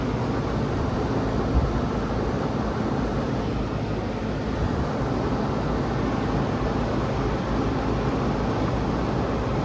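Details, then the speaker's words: Home inspection, outdoor AC unit running: steady, even condenser fan whoosh and low compressor hum with no rattles, buzzing or squeals; the AC sounds normal. "make sure it's not making any strange noises yeah that sounds good that's exactly what an ac should sound like"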